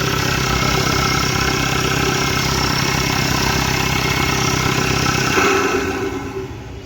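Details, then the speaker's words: Audi Q3 2.0 TDI after head removal and piston and valve replacement for knocking, misfire and white smoke: diesel idles steady and even with no knocking, settling lower, smooth and no smoke. "Ekam smooth है पहले कै टकटक करके आवाज मार रहा था"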